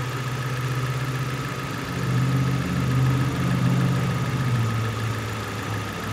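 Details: 2002 Nissan Sentra 1.8L, previously rough idle with P0300 misfire from arcing, after repair: steady low idle with an even, smooth beat and no stumble or skip; normal idle.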